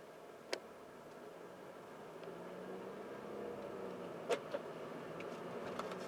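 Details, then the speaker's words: 2014 Mercedes CLA 250 4Matic at steady cruise, microphone in rear, after rear differential fluid change and clutch resets/relearn; smooth even cabin hum with only road noise and light clicks; no whine or drone, driveline noise fixed. "hopefully you'll be able to hear that there's no more noise so I'm going to go on the same route and let you hear for"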